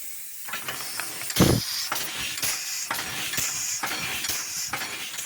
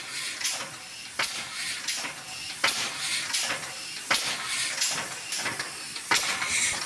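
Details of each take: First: Air-powered locomotive "Tornado", leaks fixed, tank filled to 120 PSI, runs just over 2 minutes, works down to about one bar. Quick, fairly even hissing exhaust puffs over a steady air rush; normal running. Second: Old rusty air-powered locomotive "Tornado", unused over a year, after a fitting was replaced but with another leak still dropping pressure. Slow, uneven hissing puffs about forty a minute with constant air hiss; weak, slow running from an air leak.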